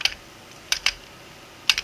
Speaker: You can hear it turning, clicking. Maybe a little difficult at first, but it can't turn clockwise.